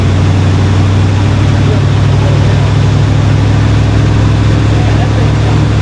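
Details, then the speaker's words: 1968 Ford F100 pickup V8, parked about 12 years, cold first start: deep, even rumble held far above normal idle and never settling. The idle is set way too high and is being adjusted down, partly because the truck has only rear brakes. "so what I'm doing here is I'm adjusting the the idle down because it's idled up way too high"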